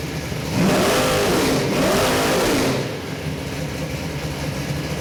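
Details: Oldsmobile 455 V8 crate engine for a '72 442, about 500 hp, Edelbrock aluminum heads, mechanical roller cam, Holley carb, forged rotating assembly, break-in run: clean two-second rev then steady idle, no tapping; mechanical roller sounds quiet like a hydraulic, healthy.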